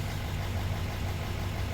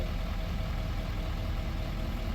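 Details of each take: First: L5P Duramax diesel at idle with reduced engine power: deep rumble with uneven loping pulse from cylinder 6 misfire, codes P0306 and P0206; owner suspects the cylinder 6 plug. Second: L5P Duramax diesel after roadside fix of cylinder 6 misfire (P0306, P0206, reduced power, service emissions): steady, even low idle with no skipping; misfire gone.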